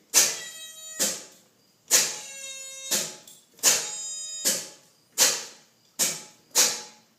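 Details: Starter newly wired on a long-sitting car, powered by a battery of questionable reliability plus jump box; turning key gives only short squeaky chirps about once a second, no cranking; owner fears seized engine.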